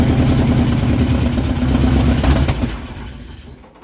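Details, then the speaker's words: 1968 Dodge W200 Power Wagon, 383 big block V8, with a stuck float: runs ragged and uneven, then stumbles and dies over a few seconds; water in the carburetor suspected of covering the jets. "water in the carb I'd say covering the Jets yeah pretty common problem we seem to run into water in the carburetor but it runs Kinda"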